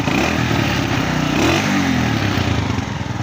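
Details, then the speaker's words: 2017 Honda CG125 single after general tuning fixed missing and poor pickup (genuine air filter, new plug, breather cleaned): picks up cleanly on each throttle blip and settles back evenly. Healthy. "Sound सुन सकते हैं आप, बिल्कुल चुप खड़ा हुआ engine. ठीक है, accelerator भी दे के दिखाता हूँ।"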